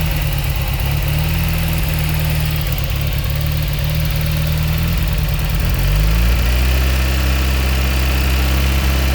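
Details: Fiat X1/9 engine idling then revving: uneven, lumpy low idle with a wavering beat, then revs step up and settle; rough idle, cause not evident.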